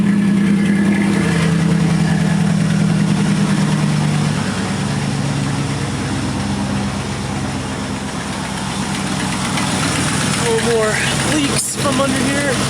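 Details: 1986 Camaro IROC-Z after the exhaust pipe broken where the Y-pipe forks was welded and ground, now leak free: first start gives a steady even V8 burble at idle with no puffing or ticking; normal idle.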